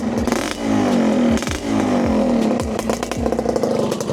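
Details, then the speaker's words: 125ZR two-stroke with a pipe exhaust, battery absent, with a few quick throttle blips: crisp ring-ding and light clutch-side rattle, judged normal for a 125 with no problem. "Enjin bunyi sedap senyap eh. Alhamdulillah semua belah clutch lah. Bunyi belah clutch. Ha kelas sikit tak ada masalah. Tu normal untuk 125."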